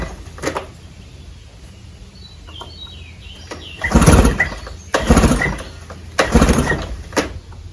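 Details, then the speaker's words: 1996 Johnson 15 hp outboard (J15REDO) after carburetor cleaning, 40:1 fuel mix: fires up and revs in strong bursts, catching cleanly each time; runs pretty good, smokes a little, kill switch inoperative. "all right I got her in the water bucket and I've been running there she runs pretty good"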